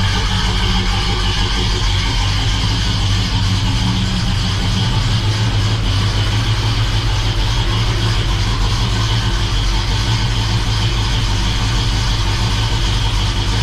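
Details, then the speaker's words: First start of a freshly rebuilt 350 V8 in a 1969 Oldsmobile Cutlass during new-cam break-in: a strong, steady idle with a faint lope from a mild cam, even firing and no tapping or knocking; healthy. "we got a pretty mild cam in it that you can hear"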